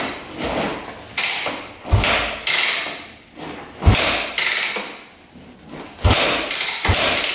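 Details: 2001 Yamaha WR250F street-legal dirt bike, engine just rebuilt, unridden about 8 years, choke on: several hard kick-start strokes with a compression thump each, never fires. Cranks but won't start; spark unchecked.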